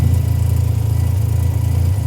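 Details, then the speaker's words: 1985 Mazda RX7 GSL rotary after installing a new Racing Beat exhaust: low, choppy idle with rapid puffing from a hole at the joint between pre-silencer and connecting pipe, an exhaust leak; the old header leak is gone. "Well, there's a small issue. The point between the pre- silencer and the connecting pipe, there's a hole. There's an exhaust leak."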